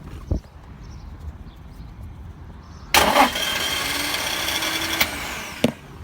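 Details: Nissan 350Z no-start: a single short crank, then a sustained hiss-like whirring with a faint tone and no firing; the engine fails to start and the cause is unknown.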